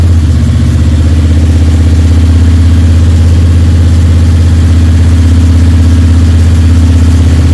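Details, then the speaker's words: Freshly rebuilt Ford 302 Cleveland V8, Holley Sniper injection, first run of roughly 10–15 minutes: strong steady fast idle, even beat about four pulses a second, no lifter ticking or rattles; owner won't know until idle is dropped. "But I've got no ticks or rattles in it at the minute from the lifters, which is good. I won't know until I drop the idle right down."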